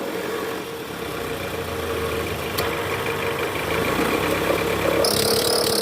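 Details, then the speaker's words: Toyota Alphard ANH10, 2.4 L 2AZ engine, in R with AC on, revved to about 1100 rpm under load: rough growl with squeal from the right side, traced to a weak-spring fan belt tensioner, later replaced. "Ini bunyi ngorok dan berdicit di bagian mesin area kanan sini nih. Ini bunyinya dari tensioner guys."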